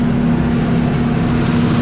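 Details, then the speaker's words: Chevy 292 six on old UniSystem, first run after sitting, high-powered ignition possibly installed wrong and cause of parking; steady low even rumble, no misses or knocks, keeps idling as throttle backed off; normal idle. "It sounds like it's running good. We can back off the throttle. It doesn't die."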